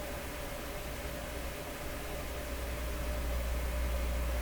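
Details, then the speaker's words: Seeburg SHFA1 stereo tube amplifier, dead channel, supply voltage dropped to about 90 V, volume turned up: steady low mains hum with thin buzz on top and no program signal from the dead channel. "so I can hear a hum and I can hear a buzz"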